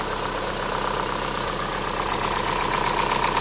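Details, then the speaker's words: Chevrolet Sonic 1.8 with rough idle and camshaft codes (P0366), after the camshaft sensors were replaced: quick, even light ticking about four per second over a steady idle, valve train ticking. "А насчёт звука, но не у меня есть подозрение, что всё-таки это в крышке, то есть это не в PCV валове там, а"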